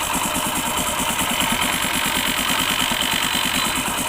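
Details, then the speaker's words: Hero Honda CD 100 SS, after a new cylinder block kit and timing chain: quick light ticking rattle, about three a second, over the idle when the kick lever is nudged; kick starter timing was left misaligned by a previous repair, to be reset under the clutch cover. "देख सकते हैं ज़रा सी मैं सिर्फ इसे ही नीचे हिलाता हूँ, ज़रा सी हिलाता हूँ और वो आवाज़ करने लगता है।"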